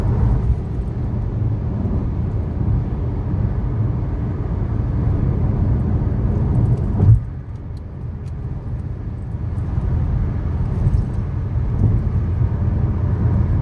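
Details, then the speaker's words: 2013 Chevy Sonic, 75,000 miles, driving: steady low hum under road noise at cruising speed from a bad left front wheel bearing; the passenger-side bearing is new. "in the second clip you will hear the sound of a bad left wheel bearing while the passenger side bearing is new"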